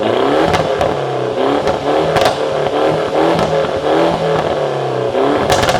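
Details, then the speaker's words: Mini Cooper S, first start back on ground: raspy loud revving rising and falling repeatedly, sharp cracks and pops on overrun; free-flowing exhaust backfiring loudly, working normally. "It's not too loud. It does backfire pretty loud, but that sounds brilliant."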